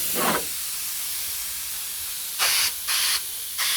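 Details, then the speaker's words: Homemade air compressor made from an old fridge compressor, tank connected to a spray fitting; four short sharp bursts of released air in about four seconds as compressed air sprays; compressed air spraying normally. "see that yeah compressed eye sprain man yeah you can't spray anything man compressor spraying man"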